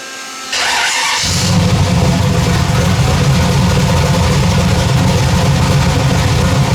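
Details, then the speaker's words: Freshly rebuilt V8 first start, about two minutes run: short crank, then catches into a deep, slightly lumpy rumble that settles; still untuned, timing not set, temporary plugs, needs good plugs. "yeah all right it fired up uh the camera wasn't going this ain't got but about three percent battery left but it did fire up I got to get some plugs and put in it"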